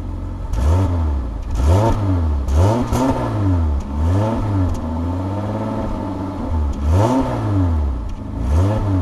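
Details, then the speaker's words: Eagle Premier engine after a 2-month cold start, ether sprayed in to get it going; revs climb and fall smoothly again and again, pitch following the throttle cleanly, no knock or miss, clearing out carbon; engine sounds healthy. "Sounds pretty good, doesn't it? Get all that carbon out of it, all that ether I sprayed in there, it's got to come out."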